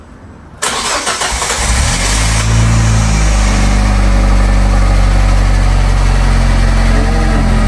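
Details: Salvage Fiat 500 after a new head gasket and exhaust work, first start after sitting: cranks, catches and settles into a steady even idle with no puffing or ticking from the pipes, exhaust sounding sealed; normal start-up.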